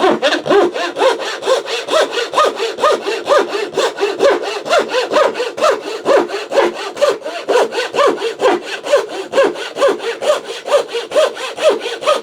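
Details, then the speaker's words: Thin turning saw blade after sharpening, making curve cuts: even push-pull rasping strokes about two a second, biting cleanly and smoothly; sharp saw cutting well, a huge improvement. "Well, I would say it's working pretty well."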